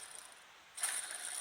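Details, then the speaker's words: 1998 Dodge Ram 1500 4x4, front right hub removed and spun slowly by hand: a dry, gritty ratcheting rasp, like needle bearings falling out. The worn wheel bearing is breaking up inside. "it makes an awful racket when you spin it slowly sounds like needle bearings are falling out all the place"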